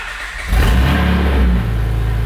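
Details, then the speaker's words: First-generation Honda Pilot after rear suspension rebuild, running with no exhaust fitted: deep, loud, raw unmuffled rumble that swells as the engine is revved and then settles. "oh no i think someone stole my catalytic converter that's exactly what you'll hear"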